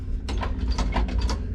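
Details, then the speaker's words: International C1600 truck with 345 V8 before a start with the choke fully out: a short run of quick mechanical ticking and whirring over a low rumble as the electric fuel pump primes normally. "alright it's a bit of our procedures to start chowk fully out you can hear that electric fuel pump Prime"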